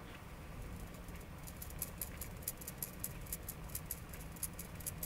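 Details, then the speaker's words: Xbox 360 mainboard removed and not yet powered, before RROD fix: light quick ticking clicks each time the board is shaken, like a small loose bit inside; nothing visibly trapped or damaged, source not identified. "but this board seems to have a strange rattle don't know if that's picking up on the camera but there's nothing actually if you look anywhere there's nothing trapped"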